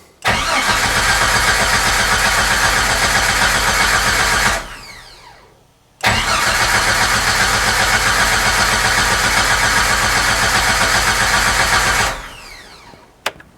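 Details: 1994 Jeep Wrangler crank no start, fuel pump bypassed and running, dash lights restored after loose IGN wire, check engine light not coming on; two long even cranking bursts that never fire.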